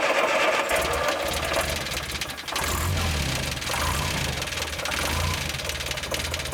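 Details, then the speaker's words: Rebuilt 1972 VW Beetle air-cooled engine after overhaul: even, steady idle with the usual light clatter and no separate tapping from the valve gear; tappet noise gone, engine sounds healthy. "Yeah, the tappet noise is gone. Car fixed, mate."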